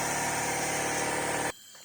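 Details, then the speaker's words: Alfa Romeo Spider 2000 leak-down test: loud steady hiss of escaping air on cylinder four, holding about 12 of 100 psi versus 90 on number one; air is felt at the exhaust, pointing to a leaking exhaust valve. "number four is actually leaking pretty bad what's number four about say 12 so i've got 12 for number four 90 on number one you can hear the back as well i can feel the actual air coming out of the exhaust here so there's a bad leg from the actual valve exhaust valve"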